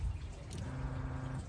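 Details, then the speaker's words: Sailboat bilge pump starting as the engine battery is connected; a steady low hum with a watery slosh, the pump running strongly and evenly, working normally. "À quelque part, c'est que ça marche bien. Et ma pompe de cale, elle est hyper efficace."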